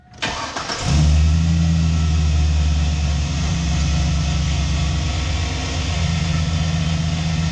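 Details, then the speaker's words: 2002 Chevy Silverado 2500 HD 4WD 6.0 L Vortec V8, before repair: engine fires up and idles with a rough growl underneath, worsening over time; alternator bearing grinding, later replaced with a 130 amp alternator. "And it's the alternator. The alternator's grinding pretty hard."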